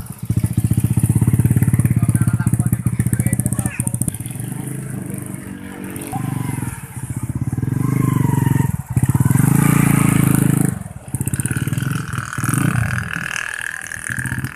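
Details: New Tech motorcycle with DC ignition that had misfired and would not rev, after ignition parts checked normal and a battery was fitted: several blips, revs rising and falling smoothly with no stumble or misfire; ignition now pulls cleanly.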